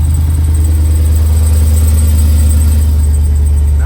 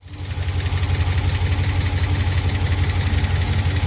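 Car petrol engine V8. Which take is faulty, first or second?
second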